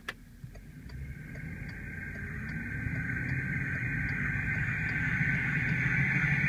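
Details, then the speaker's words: VW Touareg on a road drive: high steady whine growing louder with speed over road rumble; bad front differential carrier bearing. "So I'm gonna actually take a drive and show you what it sounds like, because the bearing in the differential is definitely bad in the carrier."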